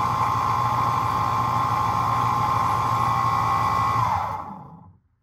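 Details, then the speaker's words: Alternator from a 1979 Chevrolet Camaro on a bench tester: loud rough whir with high whine and crunchy worn bearings, spinning down; output 14.86 V and ripple test pass, but bearing noise is abnormal. "Wow, that was noisy. Operating correctly, but we heard the crunchiness of the bearings."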